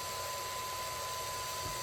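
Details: Dumpster-found Pentium 3 PC at first power-on: loud constant airy rush with a thin steady whine, no speed change, the power supply fan straining noisily; owner suspects it may have been thrown out for a reason.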